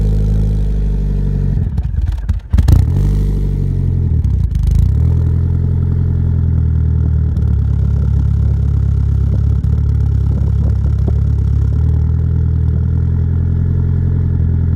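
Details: Mitsubishi Eclipse 4G63 DSM with GT30 turbo and BC 272 cams: lumpy, loping rough idle with throttle blips; owner suspects throttle stop adjustment, boost leaks and tuning needed, not confirmed.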